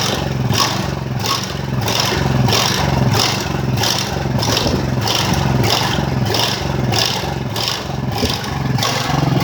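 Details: Ridgid generator with Honda GX390 engine, restarted after repairs and months unused: speed surges and sags roughly every half second in an uneven rhythm. Engine hunting with irregular RPM, cause unconfirmed.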